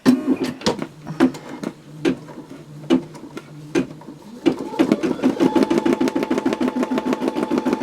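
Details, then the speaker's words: Brother SE625 embroidery machine stitching a placement stitch at reduced speed, with a crisp pop on each needle stroke, the normal sound of the needle piercing paper tear-away stabilizer. "What that popping is is that is completely normal. That is just the needle going through the tear away stabilizer. Since it is paper, it is going to make a little bit of a noise."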